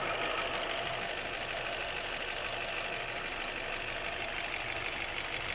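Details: Cadillac XT4 at idle: sharp, fairly regular ticking knock, about three a second, over a bright idle; engine knock of unclear origin.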